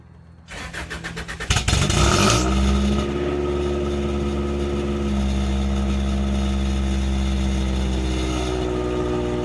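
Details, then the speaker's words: Car with a newly installed eBay full straight-pipe exhaust, heard from the rear on cold start: cranks, catches and blips, then a loud, raspy, buzzing idle. Owner thinks the timing is bad. "for eBay exhaust it sounds cool but it's full straight pipe and it sounds so raspy since it's an eBay exhaust"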